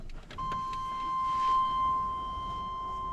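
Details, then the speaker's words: 1996 Chevy dually pickup, bed off, ground reconnected, after the fuel pump earlier failed to come on: at key-on a steady, high electric hum holds for a few seconds. Normal fuel pump prime. "So, before installing the bed, I just have to see if the fuel pump comes on. Key on."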